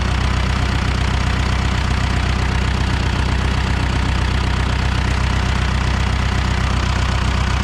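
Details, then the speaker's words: 1975 John Deere 450B dozer diesel after repair: deep, even idle with steady firing pulses about three per second, now running on all four cylinders; smokes when revved, cylinder one still runs cooler than the rest. "it worked it runs on all four cylinders now Idaho's pretty smooth sounds good at RPM"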